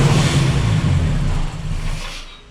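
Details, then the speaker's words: Chevy S10 with a swapped Mercruiser 140 engine, factory TBI and turbo on the factory computer: labours unevenly, won't idle and stalls; owner suspects the tune, and with fuel pressure reading 90 psi also plans to change the fuel pump. "As you can tell, something is wrong. I just tried to backfire there, and it will not idle."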